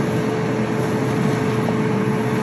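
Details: Whirlpool dryer running after repair with fresh grease: even, smooth drum hum with a faint steady tone; no grinding, thumping or scraping, wheels smooth, normal dryer run.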